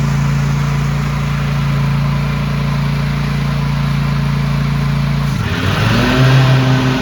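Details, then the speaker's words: Cub Cadet ZTS2 zero-turn mower, twin cylinder, warming up after a coil fix (it used to drop a cylinder after about 5 minutes): steady low drone, revs climb near five seconds and hold smooth with no dropout; healthy. "Okay, I got the old Scrub Cadet out here running, revving up, getting warm."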